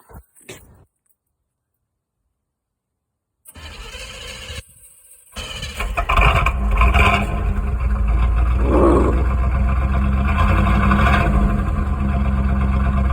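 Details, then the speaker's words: 1984 Chevy Camaro Berlinetta, 350 V8 with 700R4, cold start: starter cranks briefly, then V8 catches and settles into deep, steady, even lope with no knocks or misses; healthy cold start. "Yeah, that's fucking mean. Mean! I know Peg's not a Chevy guy, but you just gotta fucking love old iron, man."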